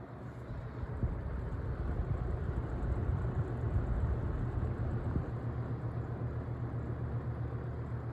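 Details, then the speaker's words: Holmes HABF-20 box fan (Feb 1997), stiff bearings freed, blade badly out of balance, on low speed: soft steady hum with even airflow, no rubbing or squeal; quiet and running smoothly. "i'll run it on low first it's got a pretty good low speed it's quiet moves good air"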